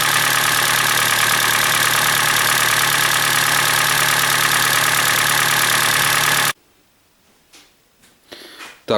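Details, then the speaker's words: Hyundai Elantra (2012 or 2013) with G4NB engine, about 240,000 km (mileage uncertain), cold start at idle: light rapid metallic piston knock, said to be much louder when hot; cause found to be scuffed cylinders (piston slap), before engine rebuild. "Значит, сейчас я запущу данный автомобиль, послушаем, как он работает на холодную, потому что на горячую достаточно сильный стук, ну, хорошее прослушивается стучание поршня."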